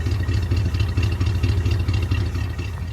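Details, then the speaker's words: V8 truck with a new, unadjusted out-of-the-box Holley carburetor: steady, even low idle like a sewing machine with very little engine noise, no knocks or misses; a belt makes a little noise and the water pump may sound crunchy. "But listen to that thing just idle like a sewing machine, man. It's outstanding. Very, very little engine noise"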